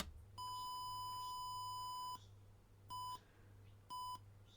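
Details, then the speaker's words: Trackmate skateboard slalom timer power-up: one long beep then short beeps about a second apart as it enters normal mode one by default, three beeps then go on the fourth. "so if we do nothing it goes into normal mode one mode one is just three beeps fourth beep go raw time so go after the fourth beep"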